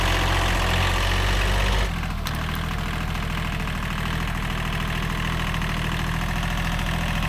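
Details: Old, worn Kubota B7100 diesel tractor after a gearbox rebuild that replaced chewed-up gears and bearings: after a brief lull it settles into an even putter of about four beats a second with no grinding or clunks.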